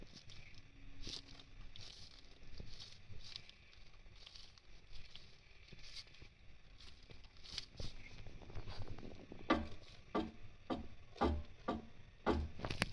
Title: Spl end links clunking and creaking noises